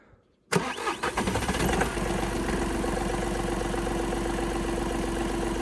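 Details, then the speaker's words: Skoda with customer-reported knock only on cold start: cold start catches at once and settles to an even idle within two seconds, no knock or tapping heard; sounds normal. "Ніц. Я нічого не чую, якщо чесно."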